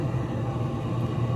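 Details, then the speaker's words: Z Grills 700D3 pellet grill during its initial burn-in, switched to smoke: a steady, even low hum with no rattle or scraping as the fan runs and the auger turns. Normal fan and auger operation. "And we can hear the fan going. Let's see if the auger's turning. And the auger seems to be turning."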